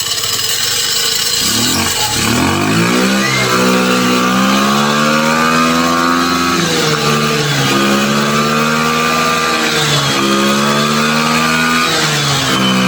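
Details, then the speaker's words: MVP 49cc Chinese scooter: small buzzy engine revs up and drops back several times, pitch climbing and falling freely; runs and takes throttle, spinning the rear tire. "So, it obviously runs. Doing a burnout here with the back tire."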